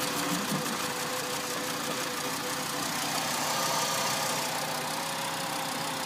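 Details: 2005 VW Jetta MK V, 146,690 km, engine fault stored: uneven, lumpy idle with a ragged beat roughly three times a second; misfire at idle.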